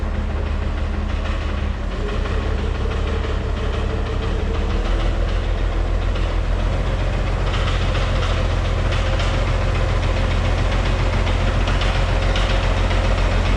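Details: White 2-155 tractor diesel, idling: a heavy, steady knock at about two per second. Blow-by, exhaust and oil pressure are normal. The internal cause is unknown and the engine is set for teardown.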